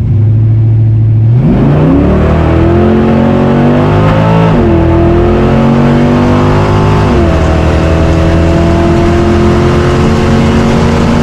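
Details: Chevy 350 Vortec with aftermarket cam and valve springs, previously pinging on 87 octane, after adding four gallons of 93 octane: deep V8 pulls strongly through two gear changes, no pinging or rattle under load.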